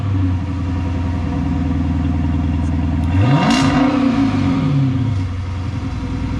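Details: 2013 Dodge Charger Pursuit after a mid-muffler delete kit install: deep steady idle, then a quick throttle blip rising and falling smoothly with a loud open exhaust; engine runs healthy.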